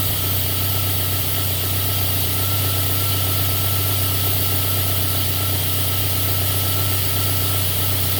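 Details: JDM third-gen Celica 3S-GTE turbo, warm idle with an uneven lumpy pulse about four times a second; misfire usually starts after a minute or two, O2 reading jumps to 2-3 V and AFR swings from 14.7 to 16-18 during misfire; lean misfire, cause unknown.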